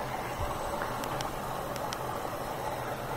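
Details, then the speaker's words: Whirlpool front-load washer after F03 E01 error cleared by unplugging and replugging: steady soft rush of water over a low hum, no clicks or buzzing; filling with water normally. "so it looks like it might be working it's filling with you can hear it filling with water that's good"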